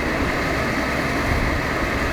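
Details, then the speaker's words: Mercedes W124 E280 six-door limousine, air conditioning blower turned up: a strong, steady rush of air with an even hum and no rattles, squeals or ticking, blower running powerfully and normally. "you can just simply hear how powerful that is."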